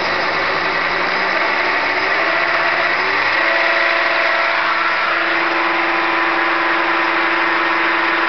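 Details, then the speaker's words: E-bike hub motor on a knockoff E-Crazyman controller at 133 VDC, spun up unloaded, ungoverned, shunt about 70-80 A: whine climbs in pitch then holds high with a rough edge; very bad motor bearing. "I have a very bad bearing in this motor you guys will hear when I spin it up but the motor I got it like that"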